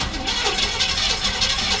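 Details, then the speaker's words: Engine after oil change with detergent added, fresh gas and fuel treatment, recently revved hard: runs smooth at first, then rapid light clicking from the top of the motor, passenger side toward the back, over a rough idle; valvetrain ticking at idle. "so I ran smooth at first but now you're gonna hear a clicking noise from the top part of the motor on the passenger side I think"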